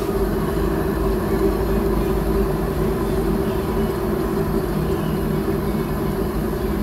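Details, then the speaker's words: Suzuki Wagon R, customer complains of noise while driving, worse at high speed; wheel spun by hand for diagnosis: continuous rough droning growl with steady hum, no knocking; confirmed worn wheel bearing, to be replaced. "Yan. Yung ganyang ingay, bearing yan guys."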